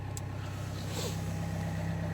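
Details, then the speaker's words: Opel 1.9 diesel, previously repaired injectors, cold start in frost: slightly uneven, lumpy clattering idle with smoke; injector correction values show a fault on cylinders one and two. "Щось торохтає, чуєте, да? Щось їй погано. Щось їй погано. Димить, димить, протраїла."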